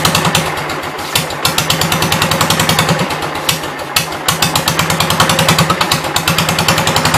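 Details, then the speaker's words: 1972 Gravely 430 single-cylinder engine, one valve (owner assumes exhaust) previously stuck, stumbling on sprayed carb cleaner with little fuel: rough, uneven popping and banging about three a second; owner wonders if it flooded, fears backfire. "Guess I'll try and get it to stay running on carb cleaner. Maybe split second to go from side to side ain't going to let me do it."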